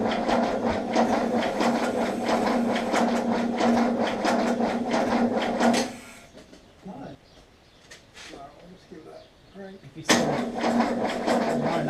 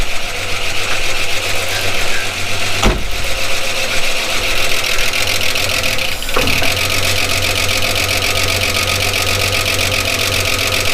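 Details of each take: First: 1979 Holden HZ one-tonner ute, parked outside for years: steady, brisk cranking at about four beats a second, turning over better after a battery cable fix, but no firing; spark at the coil but none at the plug, so the points gap is reset next. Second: 1979 Holden HZ one-tonner ute, parked outside for years, started after resetting the points gap: the six-cylinder settles into an even, steady idle with two brief bumps, nice even compression, no misfire or knock. Normal idle.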